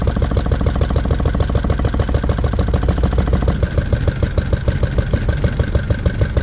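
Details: Lister D single-cylinder petrol engine, first start after 20+ years and restoration: thumping about three beats a second, rhythm wavering and jumpy; owner suspects timing and carb settings need adjusting.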